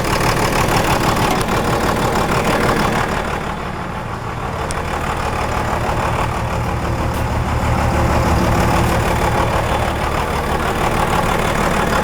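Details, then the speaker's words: 1998-2002 Dodge Cummins just started after a new VP44 injection pump install: idles with a slight rhythmic chop, about three pulses a second, steady and starting to even out. Normal first-start idle before tapping the throttle. "This is Completely normal way for the truck to run when it first starts. It's going to have a little bit of a chop to it."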